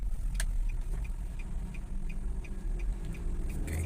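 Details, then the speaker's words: Nissan Grand Livina at 60 km/h and above in 3rd gear: a steady low drone enters the cabin, coming not from the bearings but from tyres cupped by worn shock absorbers. "ini kita sudah pastikan bahwa suaranya itu bukan dari bearing melainkan dari ban ini bannya udah keriting efek dari shock breakernya ya"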